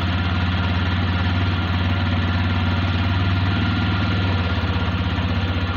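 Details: Uneven low-idle thump on a TVS Raider 125cc BS6 with 2,500 km, pulses stumbling and dropping out every second or two: a misfire at low rpm; the bike also cuts out suddenly after starting.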